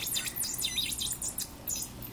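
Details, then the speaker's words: Snap Circuits Extreme Project 317 Mega Circuit with the capacitor placed in the wrong position. Irregular high-pitched chirps and squeaks in quick uneven bursts, coming from the whistle chip; the miswired capacitor causes erratic chirping. "because you're supposed to put the capacitor here you guys Bhumika we did we did it wrong yeah I know that's a guess I put the capacitor in the wrong place"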